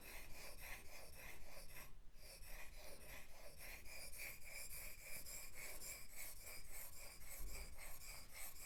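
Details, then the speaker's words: Sharpening a gouge on an 8,000 grit Japanese waterstone with slurry: steady even hiss and rasp of steel stroking back and forth, smooth with no grabbing or chatter, the sound of a fine stone. "this is no good a stone which keeps this stone flat but also creates a slurry which is this in the grinding action we can hear the difference and have fine stone sounds"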